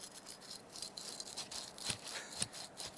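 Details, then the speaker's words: Yamaha YXZ1000R engine teardown, bearing turned by hand: dry gritty rasp with uneven scratchy bursts; water got past seal, bearing rusted. "just strange to have a rust that low down in the engine but we do have to clean this up once we press that other bearing out yeah listen to"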